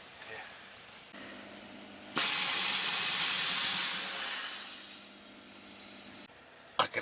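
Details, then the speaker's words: Freedom Hauler/Idaho Tote trailer air lines: sharp steady high hiss rising, holding a couple of seconds, then tapering, weak but present, louder the day before; air leak at a line fitting/joint, fitting to be replaced. "a slight hiss isn't it yeah it was louder yesterday okay let me put it in reverse and i can hear it but it's it's a weak sound but it's there's something in there"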